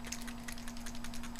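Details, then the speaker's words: Kodak Zi6 pocket video camera after about 4 years of hard use: light, quick clicks, several per second, as it is shaken, a small loose screw rattling inside. "these things they just not be able to hear there's a loose screw in there somewhere"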